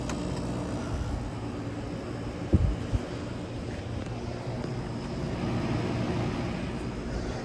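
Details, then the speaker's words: 1983 Gibson SlumberMaster window air conditioner switched to medium cool: steady low hum and even airflow rush, no rattles or squeals. Running perfectly and very quiet. "and High cool I think it runs perfectly it's quiet as hell too lives up to its name slobber bastard"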